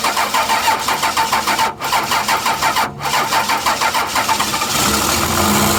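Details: 12-valve Cummins diesel after nine years sitting, fuel shutoff valve pushed up by hand, batteries charged plus jump box: even cranking, catches into a steady rough-edged idle; runs good, injection pump seems a little sticky.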